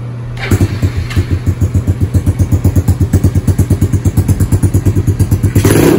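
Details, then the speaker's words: Honda CRF110 with a TB 132cc big bore kit, TB intake with Mikuni 26mm carb and size 25 pilot jet, after the build: crisp, even thumping at about six to seven beats a second with a quick rev. It runs smooth and healthy. "I'll just start it up one more time and do a circle around it just so you can hear it one more time."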